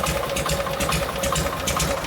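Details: 1952 Harley-Davidson Panhead FL with rebuilt Linkert carb, being tuned: loping, uneven V-twin idle with a lumpy, sputtering beat and slight stumble; running rich at idle, being leaned out.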